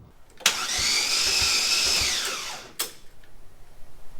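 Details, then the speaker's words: LSJ-T engine reinstalled in Cobalt-based car, briefly ran then died: starter whirs at high even pitch for two seconds without catching; cam timing suspected lost. "So, we get to troubleshoot again. That sounds like timing."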